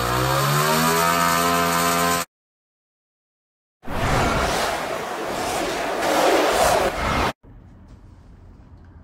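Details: 66cc (also called 60cc) bicycle-kit two-stroke running on hydrogen through a hydrogen carburetor, standard ignition timing: a buzzy run, then a rough burst of sharp pops and cracks, backfiring out the carburetor and exhaust because the timing needs retarding.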